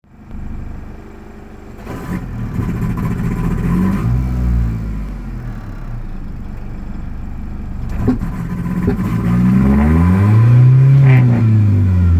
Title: 93 foxbody 2.3l rough idle 2